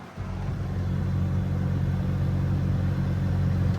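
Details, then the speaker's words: Maruti Suzuki Vitara Brezza ZDi+ 1.3 L diesel, about 8 years old: the blower fan under the dash gives a steady, deep droning vibration like the engine running. Owner suspects something is stuck inside it; cause unclear. "इसका जो blower होता है ना नीचे का पंखा, या तो उसके अंदर कुछ फंस रहा है भाई, क्योंकि जब अपन को चलाते हैं ना ऐसा वाइब्रेट करता है जैसे गाड़ी स्टार्ट हो गई हो।"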